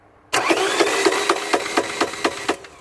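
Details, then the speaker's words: 2009 Ford Mondeo 1.8 TDCi Duratorq turbodiesel, cranked while watching marked timing belt; about two seconds of uneven weak cranking, no firing; fault somewhere below, Woodruff key/crank pulley only speculated; cranks but won't start. "yes is effed it's gone something is wrong somewhere down below"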